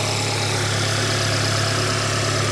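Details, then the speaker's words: Salvage VW Golf R Mk7, first start, no coolant in it: smooth, even idle with constant low hum and no tapping, misfire or rattle; no leaks, engine sounds healthy. "No leaks. Sounds all right. Just going to give it a little blip and then we'll turn it off cuz there's no coolant."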